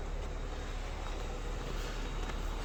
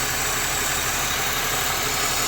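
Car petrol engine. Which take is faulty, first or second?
second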